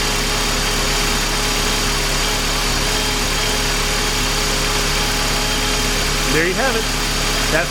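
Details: 1999 Mercedes SLK 230 after replacing the harmonic balancer, radiator fan and front crankshaft seal, with coolant topped off and the mass airflow meter reconnected: a steady, even idle with a smooth low hum and no knocks or rattles. Normal idle.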